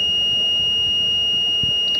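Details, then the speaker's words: Car ECM, board marked 1032K1, on the bench; a previous repairer already attempted a fix. Steady high continuity beep shows the 2.6 V MCU supply line shorted, along with the 5 V line; an IC is already removed. "यानी कि 2.6 volt भी short है और 5 volt भी short है, 2 लाइनें short है।"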